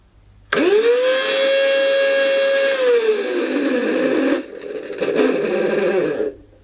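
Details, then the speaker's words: 1990s Goblin Handy mains-powered handheld vacuum, sold as new but actually used: motor spins up to a high whine, then sags and runs rough and uneven, struggling; owner fears it may blow up, and it smells. "Well, that doesn't sound right. Right, I'm complaining about this. That is not new."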